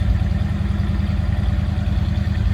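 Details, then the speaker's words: 1956 Cadillac Series 62 coupe, 365 V8 with automatic, heard from the rear at the tailpipe; steady deep burbling idle with even low pulse, no misses or ticks, deeper exhaust note; normal idle. "Again, 365 V8 paired up with that automatic transmission. Nice sounding car too."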